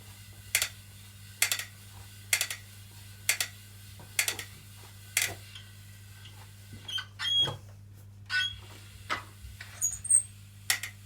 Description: After 1 workout the new BTM spin bike makes clicking noise when pedals turn